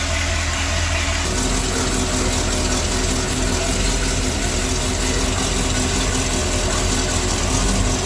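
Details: Sea Ray boat with a MerCruiser Chevy 350 5.7 L 260 hp V8 after a power-steering cooler leak check, smooth steady idle with a constant low drone and no knocks or ticks; healthy and quiet.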